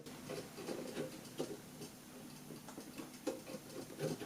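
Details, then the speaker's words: GTX 760 graphics card fan turned by hand: irregular light ticks and scrapes, catching at points and needing force to get past; the fan is binding, owner doubts it is dust, cause unclear. "this one gets stuck and i do need to use a lot of force to get it past and if you can hear that"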